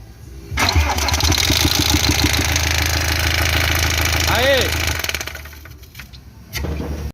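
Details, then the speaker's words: 2014 Iveco Daily 35S14 diesel, 347,000 km: starts and idles with timing cover open, steady knock about three per second from front timing chain area; owner suspects worn chain tensioner or chain kit, unconfirmed. "agora eu vou fazer funcionar ele com a tampa aberta para a gente ver se esse tensor aqui tá golpeando"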